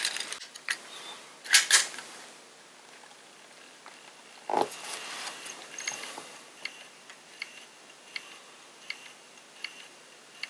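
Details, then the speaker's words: Sony MZ-R91 MiniDisc recorder sold as dead, with a different disc tried: faint regular ticks about every 0.7 seconds as it tries to load and retries, but nothing moves; cause unclear, owner thinks it may need a clean and lube. "So it sounds like it's trying to load, but nothing's actually moving, and I don't know."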